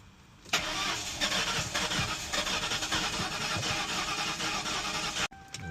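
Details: 2006 Mercury Grand Marquis with new battery, after replacing fuse 24 (ignition/PATS circuit): steady starter churning about five seconds with no catch, then cuts off; cranks but won't start, fuel pump suspected.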